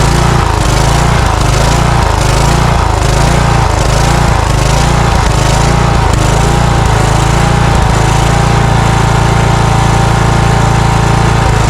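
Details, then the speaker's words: Cub Cadet riding mower with Kohler engine surging, speed hunting up and down about every 1.5 s; partly closing the choke smooths it, so it is running lean, suspected restriction in the carburetor. "okay so it's not getting enough fuel it's surging when I you may have seen me stick my finger in the carburetor what I was doing is shutting the choke just a little bit and soon as I restricted the air flow a little bit it smoothed out"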